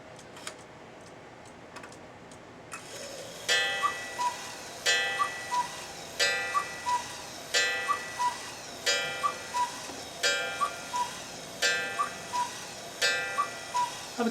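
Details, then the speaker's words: Old cuckoo clock before cleaning and oiling: whistle-like cuckoo calls come slowly, about one every second and a half, with a click at each; sluggish mechanism, partly blamed on overwinding. "um but you could hear how slow it was okay you can hear how slow it's going"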